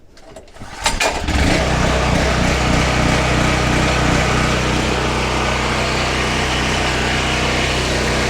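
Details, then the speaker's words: New FIRMAN P03501 3550 portable gas generator, first pull-start on choke after unboxing and oil/gas fill: a few rapid pull strokes, catches right away, smooth steady run, no misses; normal start and idle. "That was the first pull ever."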